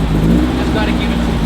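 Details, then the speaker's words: 1968 VW Beetle carburetted engine, cold start with coil wired directly and choke on; needs priming with fuel. Loud, steady low roar rising on throttle just after starting. Compression test showed cylinder one weakest, rings needed. "so I'll fire it up now turn the coil on turn the choke on and you can activate the start button"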